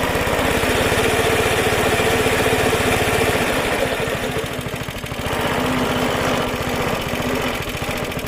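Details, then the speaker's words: Suffolk Super Punch 17" cylinder mower, c.70 years old, SIF 75cc cast-iron single, after carb and points clean: even thumping about 220 beats a minute, easing slightly as drive takes up; healthy running under load. "what a lovely little sound like a cracked little engine when I went our chicken dinner super happy about little Suffolk super punch I didn't think it's gonna run as well as it did"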